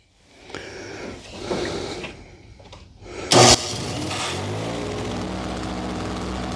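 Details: Simplicity 520 single-stage snowblower (should be 5 hp, 20 in), first start on the electric starter after its repair, choke on: after a short crank the engine catches and runs nice and smooth with no surging, and the auger engaged; normal running.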